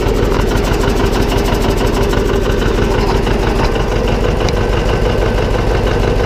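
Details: John Deere 720 two-cylinder diesel tractor after transmission repair: loud, even diesel idle with steady rhythmic chug, no gearbox clunks or whine; runs healthy, transmission noise gone.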